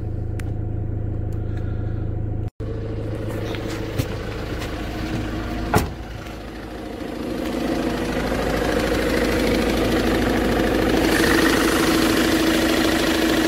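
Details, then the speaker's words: Ford Transit at idle, injectors checked and working: a dull knock about three times a second from the middle of the engine, then an abrupt stall. The knock points to a failing crankshaft pulley. "Что-то у меня случилось, там двигатель, появился стук какой-то непонятный."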